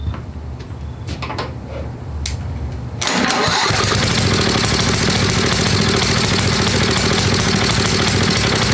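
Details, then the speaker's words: Old Craftsman 10hp Tecumseh riding mower, water-damaged engine just rebuilt, cold run-in with hand-fed fuel and no proper tank: fires after a few cranks, runs loud and slightly uneven about 200 beats a minute; rough cold engine, cause unconfirmed. "we need to get heat into the motor so we need to really even if it's running like crap it seems to be suck and Fuel"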